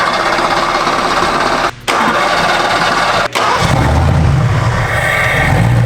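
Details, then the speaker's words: Mustang GT V8 mid-build, started with no exhaust fitted to check ignition timing before the twin spark controller goes in. Brief crank, catches, steady even rumbly idle with no miss or knock. Crew suspects timing may be a tooth off, but everything runs great. "Ooh, sounded pretty good though. Everything's good? It did, yeah, everything runs great."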